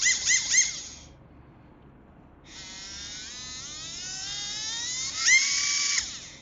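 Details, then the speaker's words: Acuvance Fledge 10.5T brushless RC motor after a rebuild to cure slight shaft play: clean high electric whine climbing smoothly in pitch as it spins up and hits boost, no rubbing or rattle; motor healthy, no slop left. "It seems to hit boost and everything like it should."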